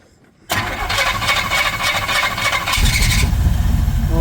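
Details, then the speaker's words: 1979 Pontiac Trans Am after tune-up and correcting miswired ignition wires, running on old bad gas with poor ignition components, possibly flooded earlier: silence, then it catches sharply and runs, roar filling out; engine starts and keeps running. "there she fires to life. The sweet smell of bad gas terrible ignition components and Oh, she's running."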